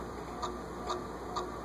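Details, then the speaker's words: SMC A52 vintage ceiling fan on medium (0.73 A), tested before oiling; steady clock-like tick about twice a second over soft motor hum, owner suspects the bottom bearing but can't tell. "It's got a little bearing noise there. Well, sounds like a clock ticking. Is it the bottom bearing?"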